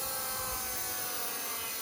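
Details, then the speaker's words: Fiat 124 replacement fuel pump after leak, run independently of the car's electrical system about 30 seconds to check for leaks: steady even electric whir as pressure builds to operating pressure, no leaks; normal fuel pump priming. "You can hear the pressure is building up."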